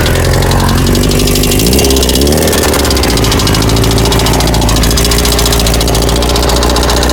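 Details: 1998 Kawasaki ZX6R idling with a fast, sharp metallic ticking over the exhaust note; owner was told it is valves or cam chain and asks if it is rod knock; source unconfirmed.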